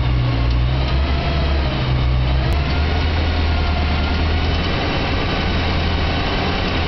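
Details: BMW E92 M3 V8 petrol idling after 1200-mile service: deep steady rumble with a light clicking noise running through it.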